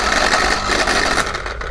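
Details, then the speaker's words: Submersible pump motor run on the bench with a 50 µF capacitor: harsh rough rattling grind over the hum, rotor wobbling with play; worn motor bushes. "तो friends यहां पर हमने जो हमें संबंधित मोटाई हमने रन करके देख लिया है और जब उसे खराब हो जाती है तो कुछ इस तरह से आवाज़ करती है"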